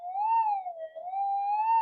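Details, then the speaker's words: Modified Minelab GP3000/GP3500 detector with exposed circuit board: steady mid-pitched tone wavers slowly up and down; a bit of moving air over the electronics changes component values and sets off a false signal. "I'll turn it up a bit louder like there you go just a bit of air that's how sensitive they are"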